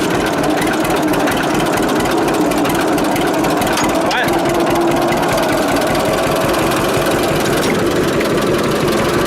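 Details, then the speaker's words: 1946 John Deere AR tractor after brake band repair, outdoors with heavy wind noise on the mic: steady, even two-cylinder beat with no knocks or misses; engine running healthy, normal running. "so that sound nice trouble is the camera's got the wind cut on it and it really affects the sound of that a lot it really sucks but it does sound so awesome in person freaking awesome"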